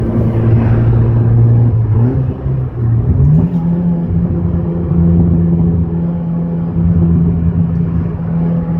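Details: Audi A4 B5 1.8T turbo petrol revving to a loud raspy drone; suspected exhaust leak, not confirmed.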